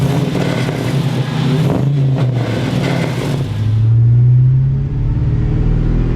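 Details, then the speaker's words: LS-swapped truck "Teddy" during street tuning, driving under load after replacing an injector, coil pack and spark plug: deep even rumble, no stumble, now running smoothly on all eight cylinders. "god man it's already a thousand times another truck a thousand times better yeah listen to that it's just smooth man ain't nothing moving around"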